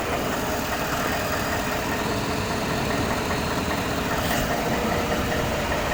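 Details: 2013 Ford F-150 5.0 V8 with 95,000 miles, dealer-serviced from new, idling with a loose, uneven knocking and clanking in the engine rumble.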